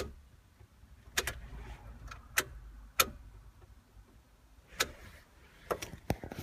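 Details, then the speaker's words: Jeep, engine off with ignition key on: sharp dry clicks at random, some in quick pairs, every second or two; happens randomly, battery tested fine, gauge fluctuates, idle poor after restart; source of the clicking unknown. "but see if you can hear the clicking noise right now it's like click click click click"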